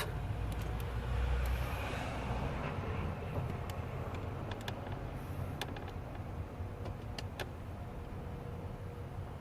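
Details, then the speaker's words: 2008 Audi A6 HVAC flap motors cycling during calibration after the noisy-flap repair: a low steady hum and light clicks, with no grinding or knocking, so the actuators work cleanly. "okay there's no noise I don't know if you can hear that but it's going to go there it's going to initiate so I can hear everything going around"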